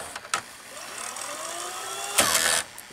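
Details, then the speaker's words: RCA VR335 VCR after cleaning the mode switch: quiet whirring tape wind with a rising whine, then a click and clatter as it stops itself; auto stop works and the earlier rewind noise is gone. "the auto stop work and you can hear it's a working River genome after doing it a little bit the nose isn't happening anymore"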